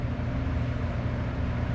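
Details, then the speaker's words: 3-speed metal-blade box fan, previously stuck and only humming, now oiled and cleaned, on medium with a furnace running in the background: steady low hum and even whoosh, no rattles; spins freely now. "Yeah, it spins pretty freely now."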